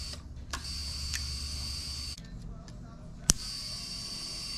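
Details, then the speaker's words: GM 2nd-gen HEI module test rig on a marine fuel-injected engine: triggering the module runs the electric fuel pump with a steady hum while the injectors click, showing a good module. "i should hear the fuel pump run because this is a marine engine and the injectors click too here see"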